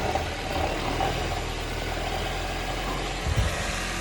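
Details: Honda CR-V at 11,000 km idling after a 140 km trip, about 0 °C: steady low drone with faint uneven rattle, owner suspects gearbox rattle.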